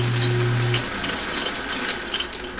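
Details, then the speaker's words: 1946 Logan 210 10-inch metal lathe, freshly cleaned and repainted, running: uneven light clicking over a soft spin about once per belt pass from a bad riveted flat belt splice; new belt needed. "that clicking is I got a bad I felt that somebody riveted together so I need to put a new belt in there"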